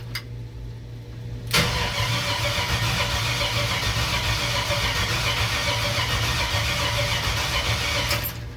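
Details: Chevrolet C-10 rat rod with a 5.3 LS V8, first start after sitting about a year, cranked after adding a missing engine ground on a low battery: strong, even cranking at about four compression pulses a second, normal cranking.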